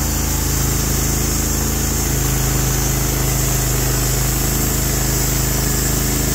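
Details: Norwood HD36v2 bandsaw mill, day two testing new roller guides (ceramics replaced), slabbing big black oak through bark, about 24 inches wide: deep steady engine drone holding pitch while cutting, no bogging or surging; effortless flat cut, normal load.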